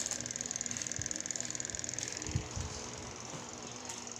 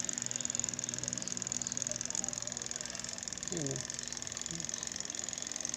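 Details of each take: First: Spin dryer after replacing the faulty timer (old one ticked but wouldn't engage the motor): fast even clockwork ticking over a faint hum that slowly fades. The new timer is working and now engages. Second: Spin dryer that won't spin, with a good new motor and the capacitor checked: the timer ticks fast with no motor hum behind it, so its contacts never switch. Replacing the timer fixed it.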